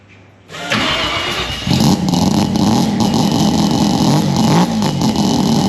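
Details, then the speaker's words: Freshly built Mazda rotary, first start, expected to smoke: quiet, then starter catches and a rough, busy idle settles with no knocks or stalling; healthy first start. "I'll set the camera up because this is first start fresh motor all right this is going to smoke it sound like"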